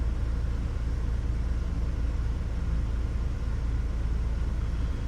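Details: 2006 Hummer H3 idling at 138°F, still somewhat cold and just into closed loop. Low, heavy rumble with an uneven pulse of about three beats a second. Rough idle and stalling; MAF over-reporting and oscillating O2 sensors are suspected, unconfirmed.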